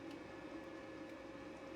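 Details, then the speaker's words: Jackery Explorer 240 power station inverter under about 193 W AC load for 15 minutes: steady even cooling-fan hiss with faint constant hum, no rattle or pulsing; normal cooling fan operation. "okay it's about 15 minutes and everything is working fine you can hear the cooling fan is running right around 193 watts"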